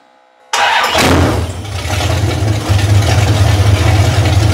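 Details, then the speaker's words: 360 Magnum engine on a run stand, hot restart after initial timing was backed down from about 25° to 13° BTDC because restarts were slow: brief crank, then it catches quickly into a steady, even, deep rumble; a clean hot start. "so after playing with the timing a bit she's at 13° before top dead center now for initial timing and I'm all right with that sounds like she's running good"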